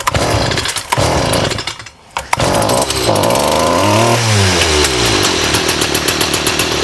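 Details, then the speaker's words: STIHL FS38 two-stroke trimmer, primed 5-10 times, choke on: pull start, brief stumble, then catches and revs up cleanly to a steady buzzing run; bogging fixed, normal running. "All right, let's start her up. That's a good sign."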